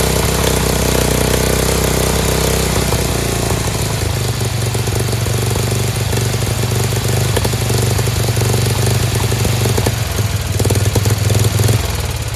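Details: Free Dayton lawn tractor's 11 hp Briggs single-cylinder, transmission blown, putters along steadily, the low beat dipping slightly then holding; no knocking or grinding, engine runs fine.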